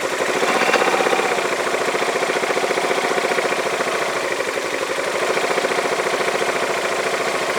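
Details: Yamaha Majesty scooter on a lift with the parking brake on, idling: a fast, even metal-on-metal clank about three to four a second from the CVT clutch area; the owner is unsure if it is normal and will tear it down.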